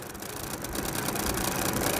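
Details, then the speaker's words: AC voltage relay tested on a series bulb across terminals 1 and 5: the bulb stays off and a harsh, fast buzzing chatter holds steady as the relay vibrates fully. This is the normal result, so the relay works. "देखिए ये इतना आवाज भी आ रहा है और ये vibrate कर रहा है पूरी तरह से। देख रहे हैं वोल्टेज रिले हिल रहा है।"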